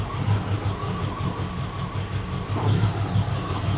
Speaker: That looks pretty nice except for it's got a bit of a a bit of a chop misfire going on. Uh, which I don't think is cam shaft. I think it's actually a misfire.